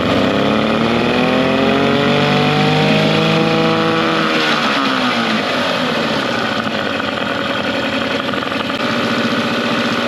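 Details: Mercury 9.9 hp two-stroke short-shaft outboard, believed early 90s, after years of sitting, with an upgraded carb and plugs. Post-maintenance it idles in gear in a test tank, steady and even at about 220 firings a minute, a touch fast; normal idle.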